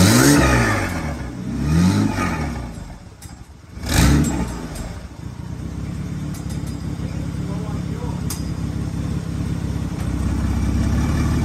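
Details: 1995 Ford Taurus 3.8L V6 turbo: revs unevenly in surges then settles into a low, lumpy run that won't hold a steady idle; owner suspects low fuel, unconfirmed.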